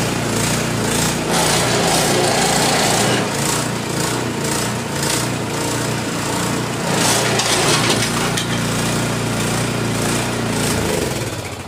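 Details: Husqvarna ST224 snow blower after replacing the drive tensioner spring (drive had stopped working, spring found lying in driveway): small engine fires and holds a steady, even buzz with clattering auger, no misses or hunting; drive now works.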